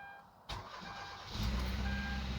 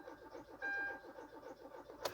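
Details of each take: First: 2013 Kia Rio in cold weather (about 20-something degrees outside), after fixing a crank-no-start caused by the ECM blocking fuel-pump power (broken pins suspected) and priming the pump: a brief crank catches quickly into a steady, even idle, a normal start. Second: 2013 Kia Rio in 20-something-degree cold cranks quickly and evenly but never fires. Owner suspects no power reaching the fuel pump, possibly the ECM blocking it through a relay.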